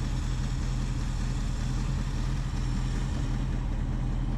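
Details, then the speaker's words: 1976 Ford Ranchero 500 idling while warming up, after a new timing chain and oil pump: a smooth, even low rumble with no knocks or ticks, noticeably smoother than before, cam working properly. "because it runs great now with a new timing chain boy it really runs good I can tell the difference smoother you can hear and feel the cam doing its job"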